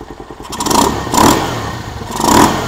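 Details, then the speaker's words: Venom SS3 KP Mini 150 after swapping to a Nibbi 26mm carburetor, jet changed and needle clip raised richer, before muffler fitted: revs up and drops back twice with crisp pickup, no stumble or popping; normal revving. "I think everything looks good. It sounds good and throttle response is good."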